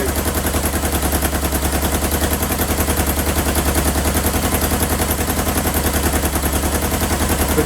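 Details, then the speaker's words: 1977 Kawasaki KZ650 B1, air box off, carbs not yet synced: rough, uneven four-cylinder idle with stumbling exhaust and missing pulses; one exhaust pipe cold, so a cylinder isn't firing. "but it sounds like a cylinder isn't firing yes this this pipe is warm this pipe is cold"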